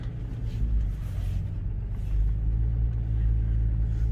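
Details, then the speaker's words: 2007 Ram 3500 dually with the 6.7 Cummins, driving after air was bled from the power steering system to cure a noisy pump: low, steady diesel rumble with no pump whine or groan, much quieter than before. Normal power steering pump operation. "that's noticeably quieter still making a little bit of noise but yeah that's much better no noise at all now"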